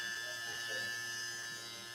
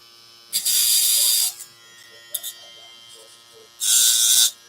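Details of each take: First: Andis Phenom electric hair clipper running with a steady, even buzz and no rattle after blade adjustment, showing the cutting blade is set correctly and not over-biting. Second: Andis Phenom hair clipper gives two short bursts of harsh, high buzzing rattle, deliberately shown; the rattle means the cutting blade is set too far out and over-biting the steel blade, so it needs adjustment.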